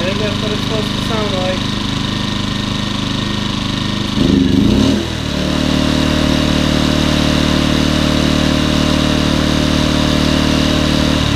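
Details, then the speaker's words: Champion 2000W 73536i generator, about 16-24 hours of use, after cleaning the idle jet and carb to cure surging; brief step change as the economy switch is toggled, then a smooth, steady drone with no surging. Normal idle. "that's what it's supposed to sound like I was just switching the economy switch"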